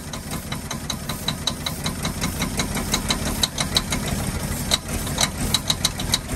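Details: 1948 Ford F-5 ex-ice truck, first run after about 45 years sitting: sharp high ticks popping regularly over a rough idle. Owner believes the number six lifter is sticking on its spring, not a bottom-end knock.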